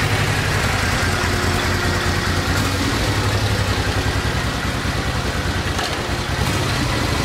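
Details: 1986 Honda VT500 Shadow V-twin after a carburetor clean and new air filter, carbs not synchronized: idles with an uneven, loping beat and a slight speed dip midway, but holds idle.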